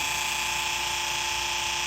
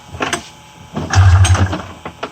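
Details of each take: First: 1994 Polaris Indy 500 EFI snowmobile with its fuel pump jumped directly from a 12 V battery: a steady, thin high-pitched electric whine with no stutter or surging. The pump works and delivers fuel, which is normal. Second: 1994 Polaris Indy 500 EFI snowmobile with fuel pump hot-wired, being pull-started: repeated short chugging cranks about every 1.5 s that never catch; cause suspected, not confirmed.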